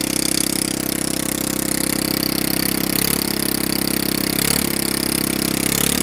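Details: Honda Ruckus scooter with a fabricated rear frame and center-mount shock, on test start; the engine revs at a fast, steady idle with no throttle, enough to creep forward unless braked; idle speed likely set too high.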